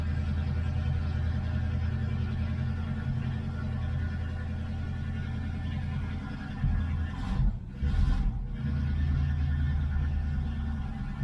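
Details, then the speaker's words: 1970 Ford Mustang Mach 1 V8 on its second start after long storage, running on a temporary tank with fresh gas. Low idle with a slightly uneven beat and a throttle blip; rough running, which the owner hopes clears with good fuel. "I think it'll clear up pretty quick. I'm hoping good fuel in it."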